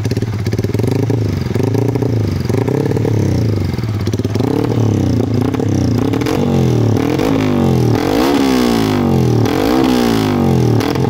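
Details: Yamaha MX King bored up to 177cc after its first 5000 km, valves in good condition, tuned slightly richer with a J Maper exhaust: crisp start settling into a steady idle, then clean blips rising and falling smoothly with no misfire or clatter; healthy.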